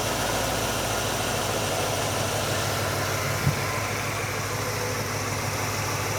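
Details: GMC truck V8 with an Edelbrock VRS-4150 650 CFM carburetor replacing the 950, idle mixture and speed set: steady, even idle with a smooth low rumble, no misses, knocks or hunting; healthy idle.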